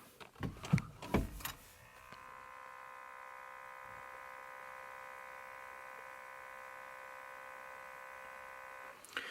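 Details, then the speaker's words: Ford Fiesta Mk7 1.4 Titanium, power on, in a quiet cabin. A thin steady electric buzz comes from the climate control sensor fan behind the vent near the left knee. It is quieter with a Ford adaptor 1736143 fitted but still faintly audible. "so it's still slightly hear it but it's a lot less caught is a lot quieter and I think that is all I'm going to be able to do so before if there was power on the car or you could hear with this constant buzzing"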